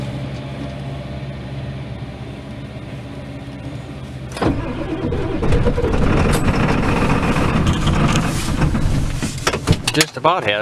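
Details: Ford F-350 XL 7.3L Powerstroke turbo diesel, cold start with throttle held: several seconds of slow steady cranking before the diesel catches and clatters loudly; hard cold start, worse than a Dodge.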